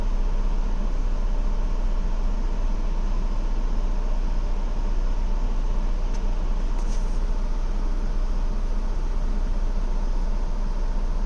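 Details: 2016 Ford Explorer Limited at idle: a deep rumble with an uneven, loping pulse about two or three beats a second. A rough idle, cause not evident.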